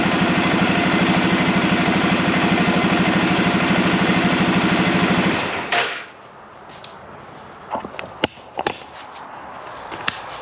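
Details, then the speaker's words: Arctic Cat Prowler engine running again after rebuild with new pots (cylinders), warming up on the stand while bleeding air from the cooling system; steady, even idle with regular firing for about six seconds before shutting off, no knocks or misses: normal idle. "She runs. Been a long time coming, hasn't it? So we still got a lot to do on this thing, and I'm pretty happy with the way this is running right now."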